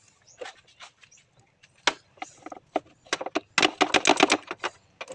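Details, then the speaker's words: Mitsubishi Adventure that won't start, with no dash lights and only a click on the key; thin, feeble, scattered snaps from a jumper-cable spark test at the battery terminal show it has almost no power, so the battery is very weak. "So ayan mga idol, nakita natin na walang wala siyang kuryente mga idol. Sobrang hina mga idol."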